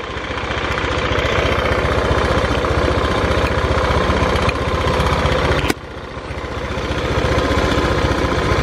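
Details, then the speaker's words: Honda Beat scooter with thick white exhaust smoke, idling with an uneven thump of about four beats a second and a rattly mechanical edge that dips and recovers on blips. The noise seems to come from the CVT, suspected to be the model's common problem. "Gas Gas terdengar di bagian CVT ya terdengar di bagian CVT Ya maklumlah penyakit umum Honda Beat kayaknya ya di bagian CVT"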